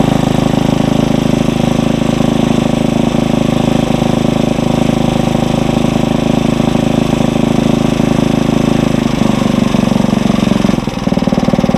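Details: Tiller engine at raised speed while warming, no load: steady drone without hunting or misfire, dropping off near the end; normal fast idle.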